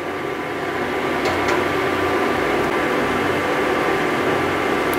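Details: Induction cooktop at 600 setting with four-minute timer, boiling water: even fan rush with steady hum and faint higher tone, no rattles or surges; normal operation.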